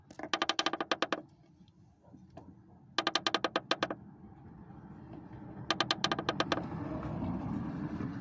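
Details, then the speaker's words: Lada Priora front right strut tower, climate unit moved aside: rapid dry crackling bursts, about ten snaps a second, as the visibly moving crack flexes; source of knock and grinding, fixed by welding. "И вот откуда у меня хруст идет. Сейчас, если... Вот она трещина. Вот видно, как она шевелится."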